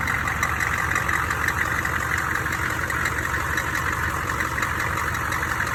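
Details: Odd high-pitched banging at steady idle: sharp knocks about three times a second from the crank end. Suspected cracked flexplate or loose crank bolts, not confirmed.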